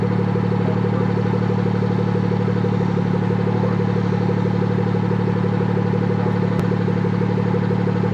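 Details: BMW F30 340i idle after fixing exhaust valve rattle by fitting a new clip, valve aligned by cranking the car in sport mode; steady even idle with smooth low beat, no metallic exhaust rattle.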